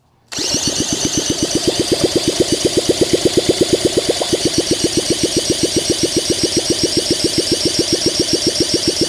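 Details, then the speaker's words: 1971 Honda SL125 single, previously seized and freed, long stored, no carburetor fitted, fuel squirted into intake; sharp regular pops about four a second that never build into a steady run; fires but won't keep going. "Hey, it wants to. It popped a little bit. Starts sounding like SpongeBob's car or something."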